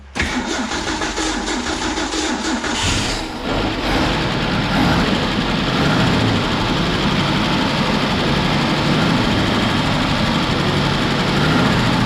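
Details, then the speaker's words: 1966 Ford Bronco, sat about 15 years, with new fuel pump, coil and distributor, cranks long and unevenly with a pop, then catches into a lumpy, loping idle; hard starting. "but i don't know if you heard it but there's a little pop at the end of the last time around so hopefully we can fight a little bit but if not yo"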